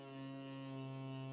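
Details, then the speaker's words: 2012 BMW F800 GS, ABS module bleed via Texa diagnostic tool with bleeder screws closed: low steady electric motor hum at even pitch while lever is pumped, then the pump stops automatically and the lever goes solid; ABS pump running normally. "the pump will [music] starts to stop automatically stop and then the lever becomes solid."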